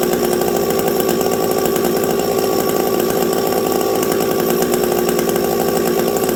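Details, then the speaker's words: Stock Husqvarna 372XP chainsaw with a UFO muffler, cold winter conditions: steady high-revving note with a faint momentary hesitation. The low-speed jet is set slightly low, causing a small stumble not related to the pipe. "my low jet was a little low there you guys could hear that little stumble not not anything to do with pipe"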